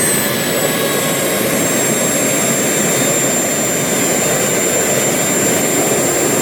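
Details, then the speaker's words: RT130 model jet turbine after rebuild, run at full throttle: steady high scream with a faint gritty scrape underneath; compressor wheel rubs the housing slightly, thrust dropped to about 13 kg, failing to reach the 120,000 rpm target. "everything seems to be good and here you can see the guys that the compressor wheel clings a little"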